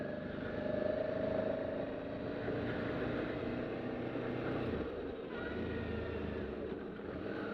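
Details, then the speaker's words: Suzuki DL650 ridden at speed after a new chain, front and rear sprockets were fitted: steady engine and road hum with no whirring, slapping or grinding; the drive is quiet and healthy, unlike the noisy old set. "And the chain is nice and quiet. Man, the last chain and sprockets I had, They were so noisy, and you can't hear the drive at all now."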